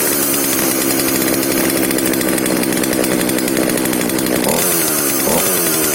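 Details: FK136 chainsaw after repair of no-start and reassembly, refueled, started with choke; loud, even two-stroke buzz holding speed with a short rev change near the end; normal running.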